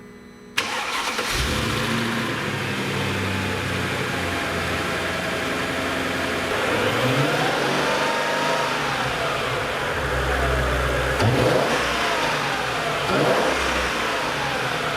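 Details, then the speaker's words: Mercedes E55 supercharged engine first start after installing new oil pump gears: catches and settles to a smooth quiet idle, injector ticking, pulley and supercharger whir audible, former whining noise gone; normal startup. "so that's how the e55 sounds like with the new oil pump gears installed and it is really quiet actually"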